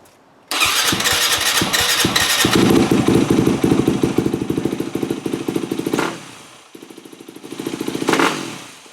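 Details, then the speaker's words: 2008 Yamaha WR250F, carburetor rebuilt, with thicker accelerator-pump O-ring mod: it thumps along, but each throttle blip still stumbles and sags before picking up; the bog improves leaner, so the pilot circuit is rich and the accelerator pump weak. "Still bogging out. Well, it's better, but I also found a new problem, and I was going leaner and leaner with the fuel screw, and I noticed that it was getting better."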